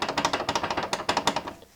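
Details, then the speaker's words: Garage door roller with its two-year-old sleeve removed: sharp bright clicking about twelve times a second as it turns without the cushioning sleeve; fitting a new roller sleeve makes it very muffled. "Those are the little details that you want to pay attention on. what's creating your garage door to rattle and make all that noise."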